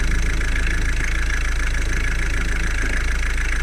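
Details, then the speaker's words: Ford Focus Mk3 1.5 TDCi diesel, started after a timing belt replacement. Steady, even idle clatter with no misses; dual-mass flywheel still noisy and due for replacement: normal idle. "a silniczek pali na strzała chodzi wszystko jest okej"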